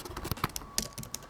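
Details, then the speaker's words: Keyboard: soft, even key taps with a clean return and no gritty click or rattle. Unlike keys with debris underneath that go clicky, this keyboard is healthy. "these keys have junk under them that makes them clicky to this one perfectly fine so look at that mechanical beauty"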